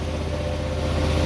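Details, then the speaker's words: 2004 Hyosung GT250 Comet after carb cleaning, new fuel filter and battery, idle adjustment tweaked: choke fully off, quick even idle noticeably above normal with slight hunting, to be left running to circulate out old bad gas. Idle set high. "I've got the choke all the way off it's a little high a little high but I'm gonna like circle it circulate for a while at the bad gas get out"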